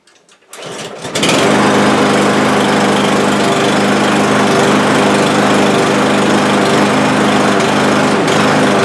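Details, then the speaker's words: Cub Cadet lawn mower with over a hundred acres of use; it starts, stalls and runs rough for about ten minutes before smoothing out. After a few weak pulls it catches into a buzzing drone; rough running suspected to be fuel starvation. "stalls out okay I think you get the idea and if I leave it here long enough take about ten minutes of rough running like that then it'll smooth right out and work fine for the rest of the day"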